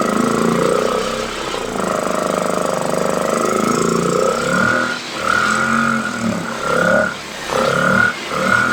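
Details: Piaggio Liberty 125 scooter after a starter electrical fix and a new spark plug, barely started with starter spray: rough, uneven running that sags and nearly dies in repeated dips; engine struggling, lacks power, carburetor cleaning next.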